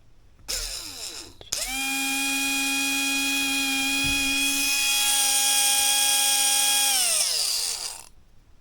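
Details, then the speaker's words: 20-year-old original brushed motor from a Tamiya M-03L, bench tested on a battery. Clean, steady high whine that spins up, holds even and winds down smoothly with no rattle or scraping. Normal run. "actually sounds good not bad for a 20-year-old hang on let's try that flippy floppy all over the place but hang on let's try yeah so that sounds healthy"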